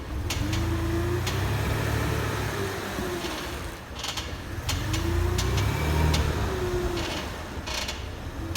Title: W163 ML320 squeaking / clicking noise